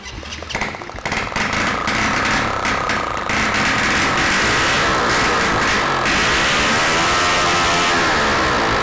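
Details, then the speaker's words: Honda Biz 100 freshly rebuilt engine, first test run on contact cleaner, no carburettor fitted and no exhaust: very loud, raw open-port bark climbing smoothly with revs, firing evenly with no knock; engine works perfectly. "Teste realizado com sucesso o motor funciona perfeitamente adicionando um pouco de limpa contato ele entra com o oxigênio e faz a queima e explodindo tudo tá sem o escapamento Por isso faz bastante barulho e eu tô bastante contente"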